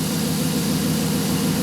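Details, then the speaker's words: Dodge Hemi after camshaft position sensor replacement for hard starts, stalling and P0340, trouble codes cleared. Steady, even idle with a low rumble and some exhaust/muffler hiss, no misses or stumbles; owner unsure the intermittent problem is fixed. "the engine sounds good I'm not getting any more trouble code so hopefully we have the problem sticks"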